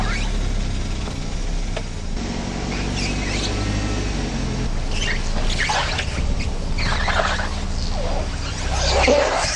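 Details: Car creeping along a kerb: irregular squeaky, scuffing bursts come and go as the tyre sidewall rubs against the kerb.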